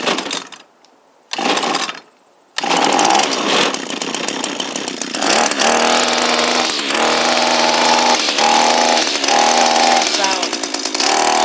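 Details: Echo SRM230 two-stroke string trimmer, hard to start, stopped running properly in use, refuelled after draining, air filter removed; buzzes with uneven stumbling revs and dips: running rough, owner suspects timing shift, cause unclear.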